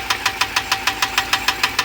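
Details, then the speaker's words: Ram 6.4 litre V8 idling: sharp, even ticking about six or seven times a second, traced by feel to one failed roller lifter, engine then being disassembled. "I can feel it in this lifter go goes down and it's going to pop go pop right there all right we found it it is this one"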